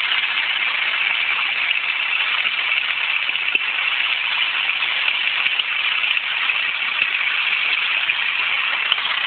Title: grinding noise from my engine